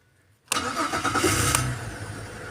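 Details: Holden VZ Commodore with the common no-start-off-the-key fault, fixed by wiring a switch through the firewall (turn key on, then switch): brief crank catches at once and settles into a smooth, even idle; normal start.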